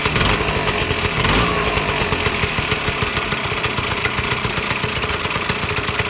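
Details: Vyatka Elektron two-stroke scooter revived after long garage storage: fast, crisp popping at a steady idle with even firing and no misses; healthy engine.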